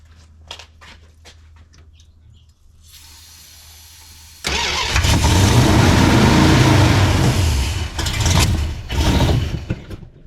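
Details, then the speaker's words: 1971 Plymouth Satellite 318 with a Thermoquad carburetor and diesel accidentally put in with the gasoline: quiet cranking, then it catches loud and surges and dips, with heavy smoke. Rough running from diesel-contaminated fuel. "So let's fire it up a couple of more times. We got to burn that diesel off."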